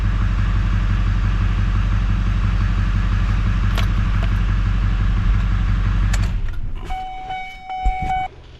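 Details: 2007 GMC 6.6 Duramax diesel after oil and filter change, idling with oil pressure at 60: smooth, even clatter with no misses or knocks, then shutoff and dash chime; normal idle.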